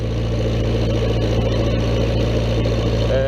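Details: Old Vermeer 665A stump grinder with many years of use, just fueled and started, idling steady with a low even four-cylinder throb, no knocks or misses, holding smooth while hydraulics work cutting wheel, tongue and travel: running like a champ.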